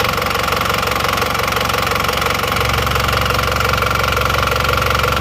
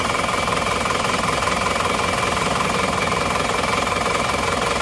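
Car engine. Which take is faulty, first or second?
second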